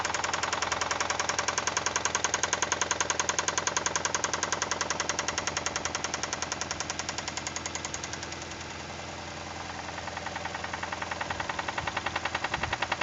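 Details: Toyota 2E engine, knocking began after a 5-minute run at 155 km/h by speedometer: sharp, very even, loud metallic knock about two to three times per second over the engine note; cause unknown.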